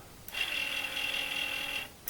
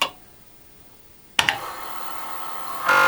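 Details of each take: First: Commodore 8050 dual disk drive, restored from a non-working state: thin, high, steady whirring squeal from the spindle bearing itself, heard with the door open; much quieter than its earlier screeching. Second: Commodore 8050 dual disk drive, restored after non-working trash find, formatting drive one: quiet background, short loud buzzing burst near three seconds, then steady hum as heads move; normal operation.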